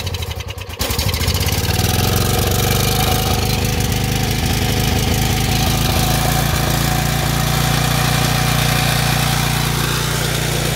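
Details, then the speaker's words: Small generator with a bad carburetor converted to run on pure propane through the carburetor, choke open and never used; starts immediately, then a steady, even mid-pitched chug at constant speed with no surging or misfires, running smoothly. "generator is now running on pure propane. As you can also tell, it runs pretty smooth."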